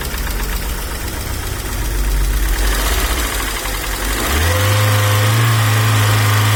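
Fast, even ticking, roughly four a second, over a steady idle hum that rises in pitch; the hydraulic lifters are clattering.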